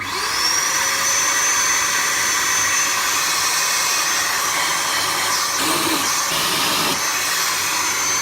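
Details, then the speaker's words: Henry vacuum cleaner switched on after a repair and reassembly: the motor spins up to a steady high whine and holds an even, smooth hum with no rattles or scraping, judged to sound pretty decent and healthy. "now that sounds pretty decent tonight"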